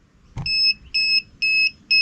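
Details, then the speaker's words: FCHAO 'Peter' 12V inverter connected to a 12V sodium battery at about 15.7–15.8 V: four sharp high-pitched beeps, about two per second, with flashing; it refuses to start because battery voltage is too high. "let's fire up the inverter see what's happening y turns on oh oh no it doesn't it flashes and beeps it says 15.8 volts"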